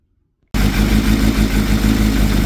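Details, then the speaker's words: Nissan Pulsar GTi-R engine, warmed up, after reshimming valve clearances: starts instantly and settles into an even, smooth idle with no valvetrain tapping; sounds better, though gearbox rattle remains. "This fired up sound a little better. That's warmed up."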